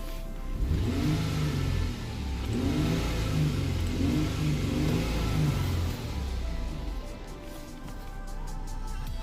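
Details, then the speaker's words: 2008 Ford Edge 3.5L V6, 122k miles, free-revving after the repair; long-term fuel trims are correcting downward. Quick throttle blips rise and fall cleanly with no stumble or miss. Bank two is running really good, which confirms the repair. "so bank two is running really good that's what you should want to see right here"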